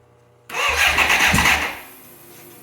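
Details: 1985 BMW K100 that burned and sat for 6 years, a little squirt added and plugs back in: about a second of fast starter whirring with no firing, then it winds down; cranks but won't start.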